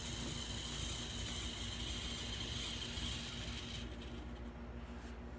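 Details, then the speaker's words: MDC Roundhouse Shay model locomotive kit with DZ123 decoder and most powerful motor fitted, at max power pulling one heavy scrap gondola: steady high gear whine with rattling mesh underneath persists despite every attempt to cure it; gear noise remains. "Still, that sound of the gears, there ain't. I've tried everything. You're still gonna have that sound of the gears."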